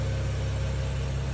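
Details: Honda TRX450ER ATV on starter wired directly to a large BMW battery: steady low drone of cranking with no catch or fire; hard starting, crank bearings suspected, not confirmed.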